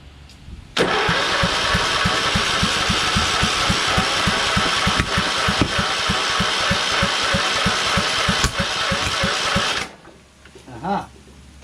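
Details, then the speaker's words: Craftsman LT2000 lawn tractor repowered with a Kohler Courage engine, cranking on starting fluid despite good spark: fast cranking pulses with sharp backfire pops and no start; owner suspects timing is off, possibly from a sheared key. "backfiring just like uh nick from west islip said that's the reason why he took it apart because it was backfiring so the timing's off"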